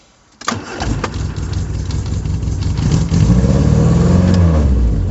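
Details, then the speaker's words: 1974 MG Midget with SU carburetors: engine catches at once, revs climb and hang high instead of settling to idle; throttle suspected sticking, possibly from the curved throttle cable routing; cable lube or replacement planned. "guess my throttle's sticking I'll have to uh fix that"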